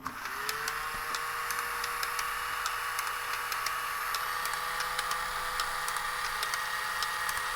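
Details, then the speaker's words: Tomy Super Cup Football electric game after repair: there was no power reaching the motor, and the contacts were likely oxidized. It now runs with a steady motor hum and regular light clicking, and all players move up and down normally. "well they're all moving up and down I think that's it that's all it was that is all it was"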